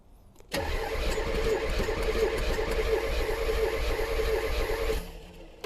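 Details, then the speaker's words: 1984 Corvette C4 from Copart: steady rhythmic cranking about four and a half seconds without catching; plenty of fuel, owner suspects ignition timing or bad gas, vacuum lines off. "maybe my timing is really off feels like it wants to run doesn't it there is so much fuel in there though"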